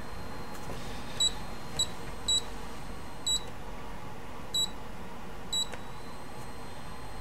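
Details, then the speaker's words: Brymen BM235 (EEVblog) digital multimeter with backlight on: thin high-pitched whine near 4 kHz from the backlight, pitch changing as it turns on, audible under the meter's chirps and forced-air room noise. "But I can clearly hear this, or I should say I can clearly hear the backlight whine over that. And it's the same kind of white noise sort of in the background."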